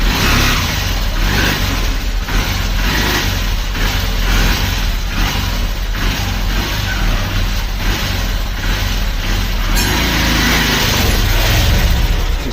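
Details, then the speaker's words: Honda Livo motorcycle after clutch plate and clutch hub kit replacement, pickup check: engine pulls cleanly with steady low exhaust note and even revs, no slipping flare or rattle. Clutch takes up and runs normally. "गाड़ी भी जो है pickup आ चुका है।"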